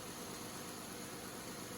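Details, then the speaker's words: Dodge Grand Caravan 3.6 Pentastar idling after removing a small stone that made the accessory belt squeak and the tensioner rattle: steady even idle, no squeak, rattle or ticking. Water pump suspected but not needed. "and you'll have to just take it for granted that I'm telling you it sounds normal now"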